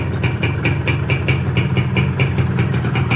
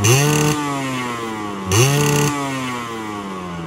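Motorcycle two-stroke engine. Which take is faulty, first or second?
first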